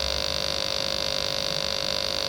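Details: Sega TeraDrive with its bad power supply connected, at power-on: a steady high-pitched whine over a mains hum. The failing supply sags under load, the 12 V rail dropping to 10.65 V.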